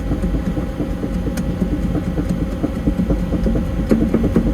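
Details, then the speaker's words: Develon DX210 excavator that won't track straight, travel motor replaced last month, track lifted: even engine drone with light regular ticking as the track turns, no crunch or grind; normal track travel. "doesn't sound unusual to me we'll put it into two speed two speed is engaged sounds all right"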